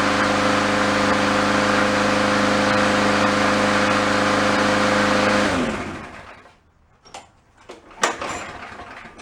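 Mower runs smooth and even at a steady governed speed with no misses or surging, then shuts down cleanly; healthy.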